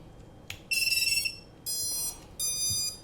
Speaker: the quad is armed okay